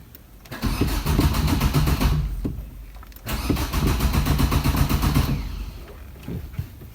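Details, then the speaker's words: Car (possibly a diesel Swift) not driven for many days, tyres low: two long bursts of steady starter cranking, about four turns a second, engine never catches; cranks but won't start, cause unknown. "के क्रक करना ने शुरू करता start नहीं हो रही ते एक दो बार और ट्राई करते हैं"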